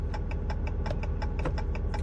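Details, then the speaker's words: RAM truck idling with turn signal on while the right front turn signal, high beam and parking light show as out: quick, even flasher clicks about five or six times a second. Hyperflash from burnt-out bulbs. "so now i'm going to turn my turn signal on you can hear it fast blinking there"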